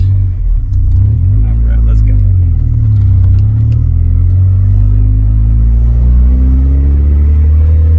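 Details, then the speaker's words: Honda CRX Si driving, muffler has a hole, awaiting replacement; deep loud booming drone rising and falling with engine speed, occasional rear brake squeal possible; exhaust leak. "it is a little loud still because the muffler does have a hole in it but i'm still waiting for my new muffler to come in"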